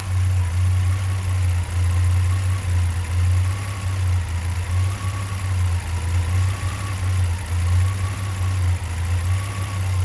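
Deep idle drone that dips and wavers unevenly every second or so rather than holding a steady beat; engine idling rough.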